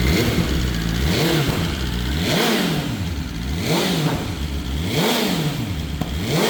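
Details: BMW S1000RR inline four, first start after the oil plug came out and oil went everywhere: crisp steady running with smooth rhythmic rev swing, no knocking or rattling; sounds healthy.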